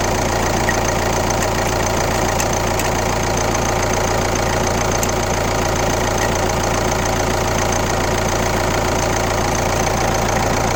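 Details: Kia Ceed 1.6 CRDi D4FB diesel, 115 km, idling: steady even tapping about three to four per second over the diesel clatter; abnormal engine noise, cause unclear.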